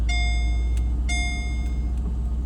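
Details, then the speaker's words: 2009 Mercedes SL550 R230 after repair of key-fob ignition fault (no circuit 15/50, no crank with key), now started with key: smooth, steady low idle with dash chimes; normal idle. "All right, let's start it up. There it is. Back up and running again."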